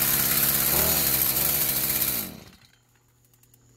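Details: Stihl FS46 two-stroke string trimmer after removing and clearing a plugged spark arrestor screen, no carb adjustment needed: high buzzy wail held at full throttle a couple of seconds then cut cleanly, revving freely; normal high-rev running, carb maybe slightly rich on top.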